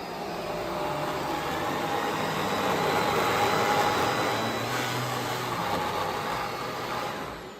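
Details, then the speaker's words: Shark Rotator vacuum about four years old, pushed forward while running: a harsh, loud roaring whir that holds steady with no easing off, sounding strained and near failure; cause unclear. "it makes a really loud noise sounds like it's dying"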